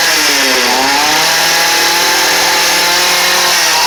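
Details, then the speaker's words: Cheap two-stroke trimmer/edger, restarted with the choke engaged after failing without it: it fires and holds a steady, even, high-pitched buzz without dying or surging, running normally. "Start back up. Hey, that's all right."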